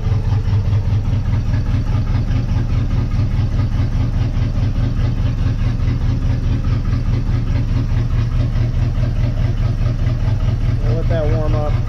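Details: 1958 Dodge Coronet Lancer V8, barn find after 30 years sitting, idling after spark plugs were gapped; irregular, stumbling pulse about two beats a second out of step; cylinder two not firing, and swapping plug wires gave the same result.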